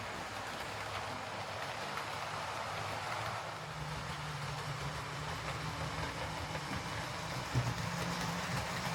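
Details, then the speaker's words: Hornby R2558 County Class model locomotive after fitting a new drive gear and blanking plate: soft, even motor whir and wheel rumble with no periodic gear click; drives smoothly, though the cheap motor is noisy by nature; normal running. "Uh, they tend to make a bit of a horrible noise."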